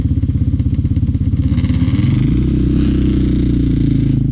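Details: Yamaha Banshee 350 two-stroke twin on a test ride after carb sync and rejet; crackling and pulsing under load, never clearing out up top; won't pull at top end, main jets believed too rich at 178, going down to 160.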